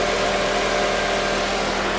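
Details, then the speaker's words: Normal idle on a convertible with rear-end damage only (front undamaged); the engine runs steady and even with a smooth unbroken hum, no knocks, ticks or misses; sounds really good. "hold on she's dirty but she sounds really good this one has a belt okay"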